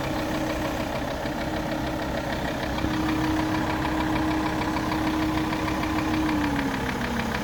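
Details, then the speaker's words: Alfa Romeo 159 2.4 idling with a light rapid knock of about three a second and a faint tone, recorded on the car's right side where the knock is louder; engine knocking, cause not yet found. "This is the right side of the car, and I hear the noise. It's more loud on this side."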